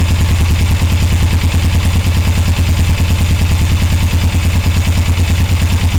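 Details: 1981 Suzuki GS450L during clutch cable adjustment to cure a clack-clack clanking: steady, even idle thump about three beats a second with no clanking standing out; sounds settled and acceptable.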